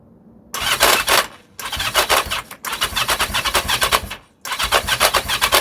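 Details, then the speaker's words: 1982 Yamaha XJ750 no-start: four bursts of fast, even cranking that never catch or fire; spark present on all four, plugs wet; compression untested, owner suspects it is low. "I mean it does it sounds like it's trying that's the frustrating bit um where's compression"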